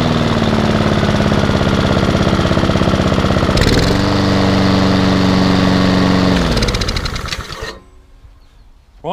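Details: Hayter 48 lawnmower with Honda engine, bought in a job lot, started a second time: fires and holds a steady even note, rises to higher speed, then winds down and stops; engine healthy but the drive is not working (owner suspects belt or gearbox).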